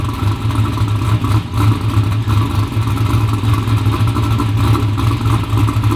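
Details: V8 ("Black Sheep") first start after fresh service: new battery, oil changed with 4 quarts used plus 4 quarts new. Deep, steady rumble with even firing, no knocks or rattles; sounds healthy and snappy, normal running.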